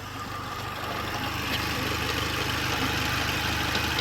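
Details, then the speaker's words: Mercedes B160 petrol engine at idle: faint, quick, regular ticking, roughly three per second, from the drive belt and tensioner area, not the EVAP solenoid. The belt and tensioner are suspected and due to be replaced; the cause is not confirmed. "There is something, but I don't know where it's coming from. A little clicking sound going on in the background."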